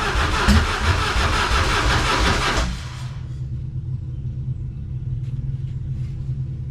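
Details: 1999 Harley-Davidson Fat Boy after gas tanks were cleaned and reinstalled, started on a jump box: loud crank that catches fast, then settles into a steady, lumpy, even-firing idle with no misses; starts and idles fine.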